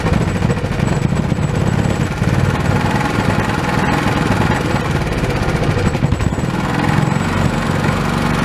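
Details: Old Honda small single-cylinder pull-start engine, sat for years and not getting fuel, now repaired and reassembled with throttle reconnected: quick steady putter holding an even beat, no misses or surging; normal running.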